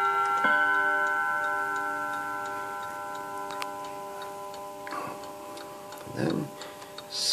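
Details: 1948 Seth Thomas tambour mantel clock with Westminster quarter-hour chime: a clear bell note rings out and slowly fades over faint ticking, clean and even, likened to Big Ben. Normal Westminster chime.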